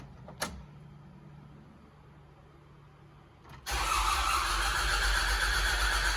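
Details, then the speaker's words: Telehandler after fuel pump change, milky, airy fuel from the mechanical pump line: a click, then steady cranking that never fires; crank no start, so it's not the pump. "unbelievable no change that's so frustrating so it's obviously not the pump"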